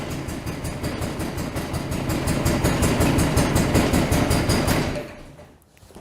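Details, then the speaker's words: John Deere 445 twin during a coil test with one plug lead pulled, firing on the left cylinder only: uneven, lumpy, weak putter that dies away; running on one cylinder. "take this one off fire on the left cylinder yeah you can tell that's that's weak"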